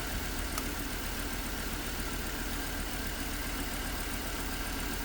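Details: Hummer H3 with P0300 random misfire code: low idle stumbling with an uneven puff every so often instead of a smooth beat, typical misfire.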